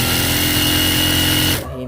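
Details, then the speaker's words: Juki industrial sewing machine after upgrading from a clutch motor to a servo motor: soft, even whir with a faint high tone and no clutch drone, then a clean stop; no noise from the drive. Normal running. "So ayan guys, yan, open na yan, pero mapapansin nyo guys, walang ingay."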